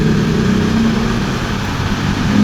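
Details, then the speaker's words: 2022 Yamaha Aerox scooter CVT after replacing rough torque drive bearing and greasing the collar: steady low drone, even and smooth with no grinding, noise fixed. "Then saka natin to testing mamaya dito sa primary drive mga bossing kung wala ng ingay syempre dagdagan lang natin ng konting grasa. So try na natin mga boss. Smooth na mga bossing."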